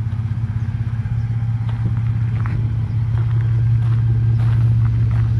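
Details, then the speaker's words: 1966 Ford F100 with Ford Performance Raptor twin-turbo EcoBoost V6 crate engine and 10R80 10-speed swap, first test drive after 2 years on hoist, stainless exhaust with Dynomax mufflers; deep, even, quiet idle rumble, no knocks, ticks or misses, healthy. "So quiet, you can hardly hear it run here."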